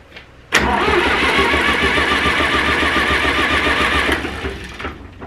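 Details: Zetor 4911 tractor diesel, stored in a dry shed since last run 3 Oct 2012 (engine renovated just before storage), with a loose core plug at the back of the head: sudden catch into loud clattering run, holds a few seconds, dies away; first start after storage.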